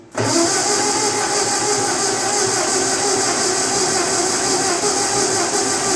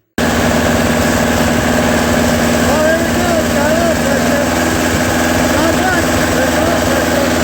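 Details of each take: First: 1948 Ford 8N tractor in grim condition after months sitting, no muffler, in neutral at half throttle: it catches almost at once into a loud, raspy, unmuffled steady run. It was possibly flooded by a sticking carburetor needle valve. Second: Old tractor four-cylinder, after clearing the oil pressure gauge lines, settles into a steady, even low chug without knocks or missed beats, running normally with good oil pressure.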